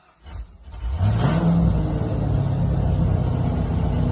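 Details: TI-tuned drift car, first start after replacing all plastic factory fuel hoses with braided stainless PTFE: a quiet moment, then it catches and revs up into a steady, even low rumble. No misfire; it is healthy.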